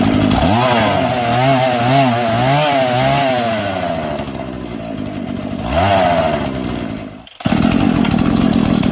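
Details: Husqvarna 236 chainsaw after the binding chain was removed: it blips to a crisp high rev several times and drops back cleanly to a steady idle, healthy with no rattle.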